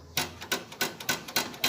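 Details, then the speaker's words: Fiat Uno tailgate: light, evenly spaced metallic ticks, three to four per second, from the metal lock rod inside the hatch vibrating while driving; not the trim or hinge. "Tem uma vareta metálica aqui dentro, ó, que quando você anda com o carro ela vibra e faz esse barulho, ó."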